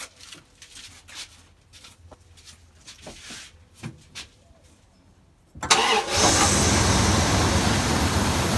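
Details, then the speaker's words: Truck stored almost a year, with no power, hesitation and bucking, restarted after misfire codes were cleared: the engine catches into an uneven idle with irregular stumbles. Misfire counters climb on multiple cylinders; mice and rats chewed the wiring. "back and you can see it's already climbing okay so we erase the code which set all these to zero now they're starting to climb all right so here's my trick we have a code for misfire we know we have multiple cylinders misfiring on the scanner"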